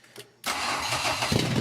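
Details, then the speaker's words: 2002 Ford Ranger chassis and engine under a 1985 Ranger body, first start after swapping in the 2002 wiring harness, instrument cluster disconnected: brief crank, then catches at once and settles into a smooth, even idle; normal start. "the thing still starts and runs without it some newer cars need the cluster to start and run but this one doesn't so that's awesome"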